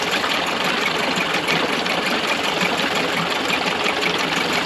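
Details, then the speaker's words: Early-90s 8 hp Mercury two-stroke outboard after carb rebuild and maintenance: fast, steady buzzing idle with no misses or surging; normal idle. "the motor sounds pretty good um if this was like a 99 or 15 probably I'd probably do a little bit more adjustments but one half turns to this Edge it seems like it's a pretty good spot"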